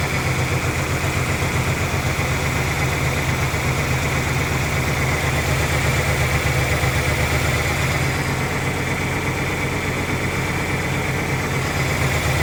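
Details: 1997 Ford Ranger four-cylinder, unused 2011–2025, new fuel pump and battery, old gasoline and spark plugs not yet replaced: uneven, lumpy idle around four beats a second with slight wavering; rough idle, cause not found.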